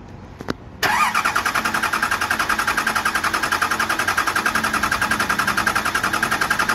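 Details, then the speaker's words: Cummins 12-valve diesel swap, first start after stuck-rack P7100 pump repair, AFC housing held by two bolts, no fuel plate, no coolant: click then fast, regular starter churn about 214 beats a minute, not yet firing. Diesel cranking. "oh i heard that wait how is it starting without using it oh i heard that that's fuel it's trying we have a running twelve vowel listen to that"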